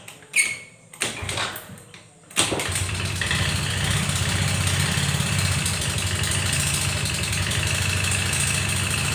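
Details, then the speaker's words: 2018 Yamaha Mio M3 scooter hard to start; once running it idles with a rough, choppy, helicopter-like thudding, and with full throttle it only reaches about 20 km/h; attributed to late engine oil change. "Nah, ini permasalahan kedua ya. Yang tadi bunyi mesinnya seperti helikopter."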